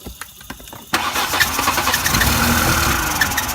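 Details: VW Passat started on spray with the gas pedal pressed: slow, uneven cranking for about a second, then an unsteady, hunting idle as it struggles to start and keep running; cause not confirmed.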